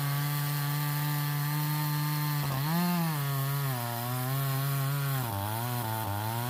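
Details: Stihl 026 chainsaw, owner reports a pop or miss at high revs when hot or pushed hard; buzzes hard in the cut, pitch sagging and stumbling near the end, a misfire under load; suspected a wire grounding out or failing coil, unconfirmed.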